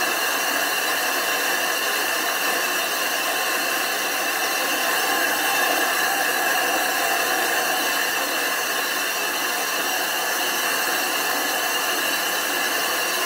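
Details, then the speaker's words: Glass grinding to thin and flatten the back of a 25-inch F3 telescope mirror blank, reduced from 2 inches to about 1 5/8–1 3/4 inches, with loose abrasive: steady even hissing howl with ringing tones, showing the abrasive is cutting normally. "off it and you want to hear that howling grinding sound if it's not howling it's not grinding"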